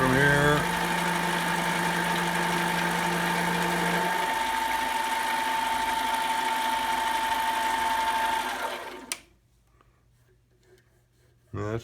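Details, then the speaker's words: Metal mini lathe turning after tightening the loose tool post, lubricated, RPM raised: steady cutting tone with a faint buzz about four times a second, then the cut stops; chatter reduced, slight chatter remains. "better still got a little chatter out here"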